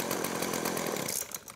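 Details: Craftsman two-stroke weed whacker after fuel line replacement, carb primed: engine catches and buzzes at a steady high pitch for a second before dropping off; runs fine.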